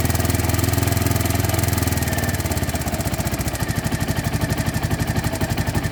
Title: Ticking noise.